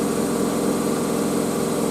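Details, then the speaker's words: Miele W562 Prestige Plus washing machine on Cottons 95°C with a bedding load, spinning at 1300 rpm: a steady, even high-speed rush with a smooth mid-pitched hum and no knocking or rumble. Normal, healthy high-speed spin. "wow that's crazy it's weird this 1300 is the speed is like quite weird for me because it's like yeah it's quite fast"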